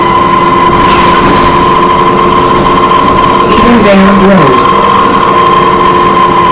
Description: This New Flyer had a very horrible screeching sound coming from the brakes or the transmission so turn down your audio so your ears won't suffer damage.